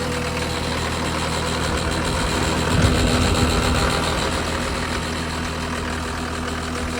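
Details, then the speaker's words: John Deere 331G loader after alternator replacement, warming up: steady diesel idle with even regular beat, no knocks or rattles; voltage up from about 11 V before to 13 V; owner hopes the alternator was the issue; normal idle. "hopefully that was the issue cuz I hate putting so much money into stuff but no it's a great Ma sounds like it's running pretty good"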